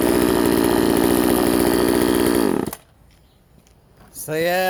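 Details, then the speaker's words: Vintage Husqvarna 136 chainsaw, California emissions model, cutting wood after its plugged muffler was drilled open (carb also replaced): crisp, even two-stroke bark through the cut, a clean stop, then quick smooth rev back up; running healthy. "okay guys now let's see how she runs wow so yeah that's way better i think"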